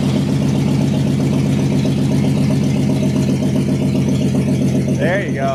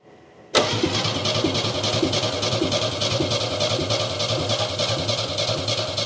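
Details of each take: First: 1969 Chevy C10 half-ton short bed, burned and sitting 40 years, after cleaning points, rotor and cap, fitting new plug wires and gravity-feed fuel: steady, even idle on its own with no misses. Normal running. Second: 1969 Chevy half-ton pickup engine, burned in a fire and sitting about 40 years, after restoring spark: it catches, runs a few seconds, fades, refires and quits. The carburetor floats are full, so fuel isn't getting through. It runs only if the bowl is filled via the vent tube or brake clean is sprayed in.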